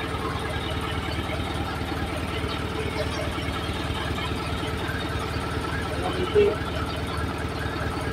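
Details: Isuzu 4HL1 diesel truck engine, newly overhauled with a new piston after water entered through the air cleaner, previously would not start; now idling steadily with an even, regular clatter and no misses or knocks.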